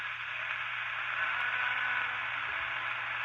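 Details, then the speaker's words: Satellite 9 De-Luxe Hi-Fi MW/LW transistor radio on PP3/PP9 battery, set to medium wave, drawing 10–30 mA: steady loud hiss and crackle with a very weak station buried in static; owner suspects interference from LED lights, unconfirmed. "I think I'm getting the same problem as previous uh times where I'm getting interference off my LED [Music] lights"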